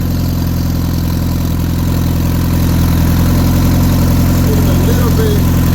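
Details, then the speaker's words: Turbocharged car that makes 20 psi boost but won't move, turbo smoking badly: steady idle with a fast, even light ticking of three to four a second; owner suspects valves not getting enough oil, with little oil reaching the cams. "There's a noise that is coming from somewhere. I think it's the valves. They're not getting enough oil."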